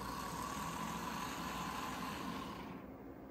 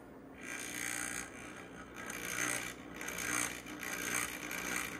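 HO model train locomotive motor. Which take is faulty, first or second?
second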